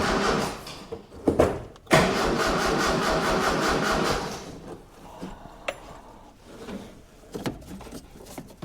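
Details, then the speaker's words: 1976 Mitsubishi Galant hardtop fitted with a 2.6 L Astron from a Sigma, first start attempt, battery seemingly weak. Long uneven cranking, fires once, then scattered bumps without running; spark confirmed, fuel delivery uncertain; crank, no start. "I was just about to give up and go and get a a test light, but it fired. So, we know it's got spark because it just sparked just once."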